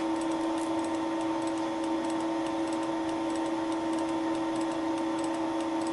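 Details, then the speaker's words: Wohlhaupter UPA5 facing and boring head on a Thiel Duplex 158 milling machine, facing a lawn mower's molten plastic bearing seat: steady spindle hum with light quick clicks from the radial feed mechanism advancing each rotation, normal. "the clicking noise is caused by the radial feeding mechanism"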